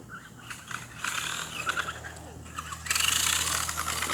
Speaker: there's no way no one can not hear that oh god what just happened oh god i'm pressing the gas but it's not doing nothing that ain't good